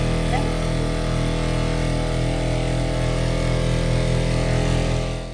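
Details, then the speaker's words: 1994 Lance Squire 4000 truck camper on 110 V shore power, filling fresh water: steady loud pump drone with low hum that never cycles off; water pump running nonstop because water leaks, found at the commode. "So we fill up the fresh water, and we can hear the water pump running non-stop. So then you know, okay, the water's going somewhere."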